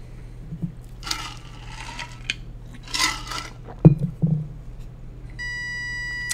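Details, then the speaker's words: Small gear motors of an Elegoo smart robot car driven by an L298N via Arduino PWM at a value of 75: steady low hum, no spin-up, motors start only when helped by hand and start on their own at 100; stalled from too low PWM. "they'll they'll run if I help them start but they're still not starting on their own"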